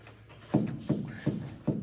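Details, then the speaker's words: 1972 Ford Mustang Convertible bounced on its suspension: four dull thumps with a short creak about every half second from worn-out shocks ("toast"); owner interested in coilovers as replacement. "hey bernzy yes sir listen to that oh that's pretty that's the shock"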